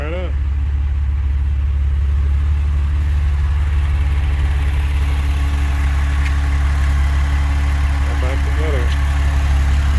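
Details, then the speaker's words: Porsche 996 idling just after UAOS install and first start: smooth, steady idle with an even low rumble and no knocks or ticks; engine running as it should, job complete. "Okay, job's complete. Car started right up. I'm pleased about that."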